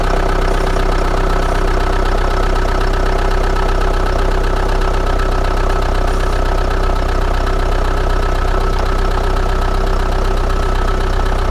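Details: Old Chrysler Voyager diesel just started at -17°C, glow plugs suspected faulty: rough idle with a steady, fairly even knock two to three times a second; cold start rough idle with knocking.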